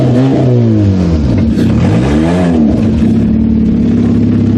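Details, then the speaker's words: Kia demolition derby car ("Killer Kia") on a short test drive after build: strong clean pull, pitch sweeping up to almost 7,000 rpm, dipping and climbing again without stumble or misfire; healthy acceleration. "Oh, but she's got some revs. So what's revs in? Almost 7. Impressive."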